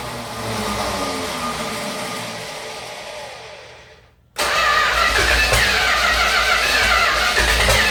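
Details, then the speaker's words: 1969 Dodge Dart 273 V8 first start after engine R&R, running on fuel poured into carburetor: catches briefly, dies, bursts again; fuel starvation. "like there's a couple cylinders missing and something's clacking I mean that sounds good just running on al"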